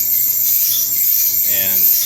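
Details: Samsung electric dryer after about ten cycles: a harsh, high, continuous rasping screech as the drum turns; the belt tensioner/idler pulley and rear drum support wheels were replaced to fix it.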